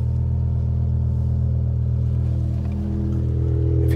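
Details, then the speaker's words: BMW E60 M5 petrol engine idling smoothly with a steady, even low rumble and faint music behind, after fuel pump/filter replacement and priming the pumps by cycling ignition; running perfectly. "hear it's perfectly running after the fuel pump change we've got the car fully running and started so that's the car now running perfectly"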